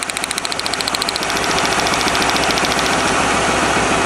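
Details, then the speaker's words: 1997 Lincoln Continental, cold start, plug wires pulled one at a time on one bank: pulsing single-cylinder miss; pulling this wire leaves the idle unchanged, so this cylinder (number two) is dead; coil pack apparently not at fault, plug and compression next. "is running exactly the same as yesterday yeah you can hear that pulsing Miss so here we go"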